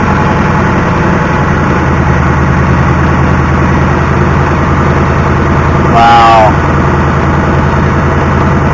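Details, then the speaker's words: 2019 Ford Mustang GT PP1 V8, built December 2018, just after changing factory oil to Motorcraft full synthetic 5W-20 and filter, after a drive, idling: light quick ticking over the rumble, valvetrain suspected, cause unclear. "We took it for a drive. We let it sit out here in idle while we looked at my car, and now it is obviously ticking now with the new oil in it."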